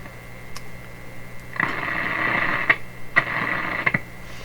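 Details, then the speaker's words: 1930s Canadian General Electric K60 tube radio: a steady hum broken by scratchy crackles and clicks as the knob turns. The volume control is suspected open circuit and may cause the hum and clicking. "So this volume control could be the whole thing, even all that clicking. So that's the effect of the volume control."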